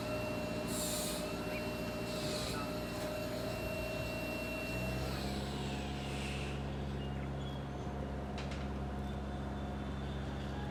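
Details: Nissan CDA20 90hp marine inboard with Z-drive sterndrive and integrated forward/reverse gearbox on a newly assembled 6.30m boat, first launch test; steady even drone with a smooth pitch step midway, no knocks or rattles, normal running.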